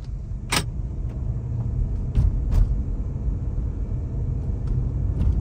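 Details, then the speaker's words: Honda CR-V in winter, something seen hanging underneath: rolling with heavy low rumble and several sharp irregular thumps from underneath; something striking the floor. "Ooh, okay. Sounds like something, it feels like something's hitting the bottom of the floor, for God's sakes."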